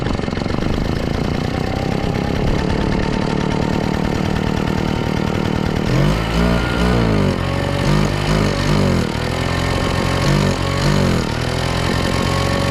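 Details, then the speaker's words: Craftsman two-stroke backpack blower that was pouring raw fuel from the muffler; carburetor had been leaned way out and was readjusted. Started primed on full choke: it catches and runs, with revs surging up and down before steadying. Normal running after the fix. "that oh all right sounds good so I think that fixed it apparently somebody had uh leaned the carburetor way out probably when it was flooding and they were trying to make it run correctly"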